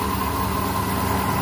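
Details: Hyundai Accent (Avega/Verna) that would not crank, after replacing the shorted, burnt starter motor: smooth even idle with a steady low hum and no knocks, misses or grinding; running healthy.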